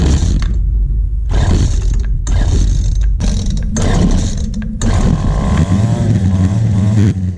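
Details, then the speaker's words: Free two-stroke weed eater after cleaning the carbon-fouled spark plug: loud, raspy buzz, blipped with throttle and picking up cleanly; now runs on its own without feeding gas; normal running. "this one so I was running running all by its own on its own there I didn't have to keep feeding it gas"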